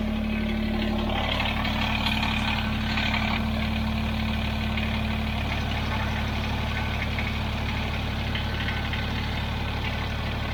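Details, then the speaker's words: Kubota BX23S tractor with snowblower on quick-connect, after fixing the bearings that caused chattering and vibration; steady even idle drone with no grinding or rumble from the drive; normal running after repair. "yeah already 10 times better it was all about those bearings the sound is gone the vibration's gone it's working great"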